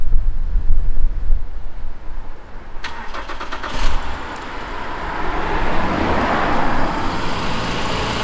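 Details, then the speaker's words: 2016 Honda Pilot III J30A9 V6 after timing belt tensioner replacement, cold start after sitting overnight: brief crank then even, steady idle with no knock or ticking; repair confirmed. "Ну что, всё супер, никакого шума нет."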